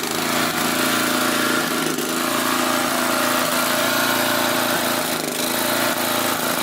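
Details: Swisher tow-behind with a 12 hp Briggs flathead, running with the air cleaner off: loud single-cylinder note whose speed sags and recovers about every three seconds, hunting at governed speed. Nikki carburetor suspected, not confirmed.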